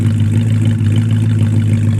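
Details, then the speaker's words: 1973 Plymouth Scamp flood car, idling after its first start at the salvage auction: a deep, steady rumble with no knocks or ticks, smooth and even throughout. A healthy idle that sounds nice. "that sounds nice oh dude I'm so happy your whole attitude just changed"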